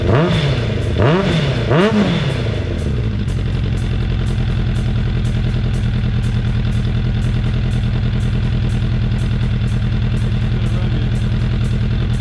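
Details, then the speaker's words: 2004 Suzuki Katana 750 under restoration, running off a remote fuel tank after an idle adjustment. A few blips, then a steady, even, quiet idle with no misses or rattles; the owner credits the adjustment. "he's idling good that's quiet i guess my babble adjustment did the trick makes me feel a little better"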